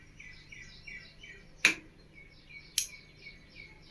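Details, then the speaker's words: V-Guard AC voltage stabilizer after capacitor work: three sharp, clean relay clicks about a second apart with no buzzing or chatter; normal switching, and filtering and output are good. "இந்த மாதிரி அந்த டிக்குங்கிற sound வந்தால் மட்டும்தான் stabiliser வந்து ஃபில்ட்ரிங்லாம் பக்காவாக இருக்குது."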